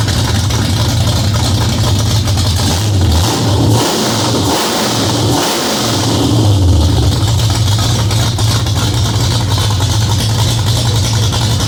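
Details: Cammed Ford 351W V8 first start, after ~10-minute cam break-in and distributor/timing retimed: loud lopey choppy idle with quick blips picking up crisply; healthy big-cam idle, great throttle response.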